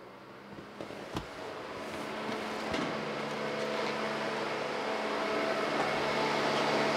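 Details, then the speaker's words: Chevrolet Tahoe after clutch-fan delete and electric fan conversion, fans PCM-controlled: steady rushing roar of air, no wobble or rattle; electric fans running at high speed, normal. "the ac is on so they are running at high speed if you get out of the car you can hear them but as you're in here you don't hear them over the blow motor or anything"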